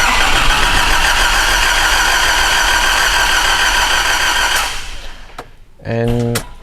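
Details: 2005 Nissan Navara D22 with a 3.0 ZD30 turbo diesel (rotary injection pump, not common rail), which the customer reports will not start: the starter turns the engine evenly at about three and a half beats a second, it never fires, then stops.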